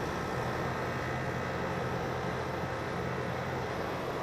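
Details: Rheem HVAC outdoor unit after replacing a failed capacitor, melted wires and contactor: steady even whoosh and low hum, no clicks, rattles or buzzing; condenser fan and compressor running smoothly.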